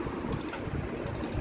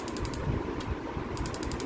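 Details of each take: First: Gas stove auto igniter after repair, faulty spark unit removed: two short bursts of rapid, crisp, even ticking with clean regular clicks; the spark now fires properly. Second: Auto-ignition gas stove: quick bursts of sharp, evenly spaced ticks each time the knob is turned but no flame catches; the spark igniter unit was faulty and was removed, after which spark came.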